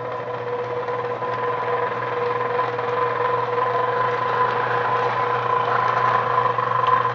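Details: Small motor run briefly after a wheel repair makes a steady hum with a rough, gritty rasp while running backwards, gear grinding in reverse; cause not yet known.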